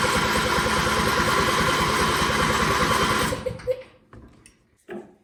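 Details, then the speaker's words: John Deere riding mower with a new battery, cranking: even starter cranking about four turns a second for three seconds with no firing; no fuel comes out of the fuel pump line, so a failed fuel pump is suspected. "all right see there's something getting gas to the carburetor or carburetor related so i'm going to do is take the fuel line off here that's the fuel pump and crank it over and see if gas comes out of here no gas"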